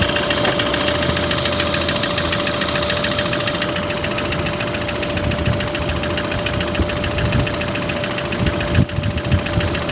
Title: стук в двигателе